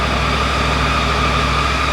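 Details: Triumph Tiger 900 GT Pro motorcycle idling in the garage during a TuneECU diagnostics check (secondary air injection shown active), steady even idle with a smooth low thrum and faint constant high whistle; no knocks or misses, normal idle.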